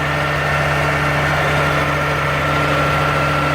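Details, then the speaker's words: Oliver 1550 diesel tractor after injector rebuild and valve adjustment, nearly at operating temperature: steady, smooth idle with no misses; exhaust much clearer with slight color, considered fixed. "well as you can see it's running a lot clearer now it's still a little bit of uh color to the exhaust it's just about up to temperature"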